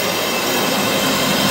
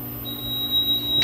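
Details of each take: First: Firetrol diesel fire pump controller switched off for waterflow testing; jockey pump running as system pressure drops at the inspector's test ball valve, riser one waterflow alarm bell ringing outside: bright, sustained metallic ringing about three strokes a second, sounding as intended. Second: Firetrol diesel fire pump controller, model FTA 1100-J 12N, switched from auto to off for riser flow testing: the fire panel sounds a steady shrill high-pitched supervisory tone before it is silenced; supervisory alarm because the controller is off.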